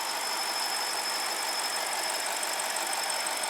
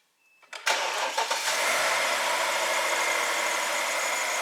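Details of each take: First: 2006 BMW 750 N62, check engine light and rough running, idling: thin steady high whistle over even hiss; crankcase cannot reach 1.18 inHg vacuum, leak most likely a tear, causing drivability problems. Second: BMW N62 V8 after new MAF sensor fitted for MAF and fuel trim codes, letting it run to warm up: starter catches quickly, smooth steady idle with no stumble or knock, idle tone changing, healthy.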